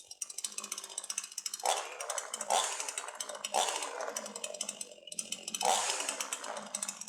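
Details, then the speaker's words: Sharp Garuda CD52H two-stroke chainsaw after starting, chain brake released: repeated throttle blips rising and falling crisply with no stumble or bog; normal revving under throttle. "release the chain brake and apply throttle."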